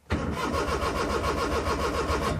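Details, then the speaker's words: Maruti 800 with the check engine light not coming on: steady rapid starter cranking with even compression pulses that never catch, so the engine does not start. Diagnosed as a faulty ECU. "me show you that the car is starting or not as you hear the car is cranking but not starting at all"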